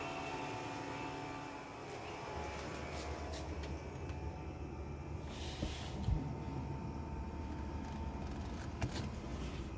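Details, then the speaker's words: Toyota Aqua (Prius C) with AC on at 28°C, heard through an open window. The external fan's whooshing hum rises as its speed increases, then holds even with no rattle or scrape. This is normal and is louder in battery mode before the engine starts. "Now the Fan is much louder and RPM of the fan has increased Its more noisy now!! This is completely normal"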